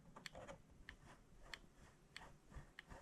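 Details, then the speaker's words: Mr. Christmas carousel at least 20 years old that plays music and lights but won't spin: small mechanism ticks about every 0.6 seconds with light scraping as the drive gears rub and strain the motor, before greasing; cause suspected, not confirmed. "You see that, you hear that rubbing. So I'm gonna see if I can find something."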